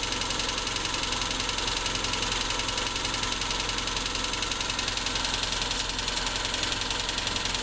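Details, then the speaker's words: Tavria with a MeMZ-245 engine after a rebuild with Avtramat pistons and a 1.2 crankshaft: sharp, regular top-end tapping at idle, about two knocks per second. Cutting cylinder 4 makes the knock louder; suspected cylinder-4 piston pin-to-boss knock. "Отключение 4-го цилиндра. Стук усилился. Выхлоп нормальный, тяга нормальная, двигатель работает ровно. Предположение на поршневой палец 4-го цилиндра."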